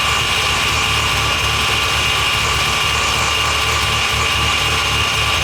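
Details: Mazda FD RX-7 rotary engine, rebuilt after losing compression, newly installed with a new transmission and the exhaust attached: steady, buzzy idle with a bright, even tone and no knocks or misses; running normally.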